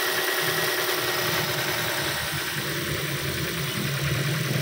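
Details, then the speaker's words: Ford Fiesta after fuel pump replacement, started immediately with revs rising: even steady idle with soft mechanical hum, no misses or knocks; normal idle. "kita starter ya ya Langsung hidup mesinnya RPM naik [Musik] Oke mesin sudah nyala"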